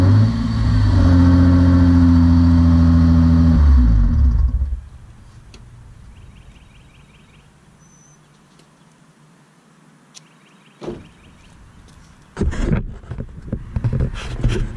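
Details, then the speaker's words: Wrecked Hyundai Genesis being rebuilt, manual transmission, cold start with no radiator fitted: strong, even idle for about four seconds with smooth steady note before shutdown; healthy engine sound. "Alright, so there you have it. That's the sound of the beast."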